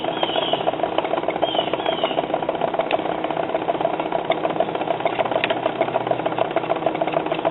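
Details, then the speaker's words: 1952 Silvertone record player (115 V motor, 50L6 tube), amplifier working: only scratchy needle talk with a soft tick from the turning record, no music; dud cartridge, to be replaced with an 89T cartridge. "it sounds like i'm getting nothing from the cartridge getting some needle talk that's about it okay the amplifier is working so the problem is definitely a dud cartridge"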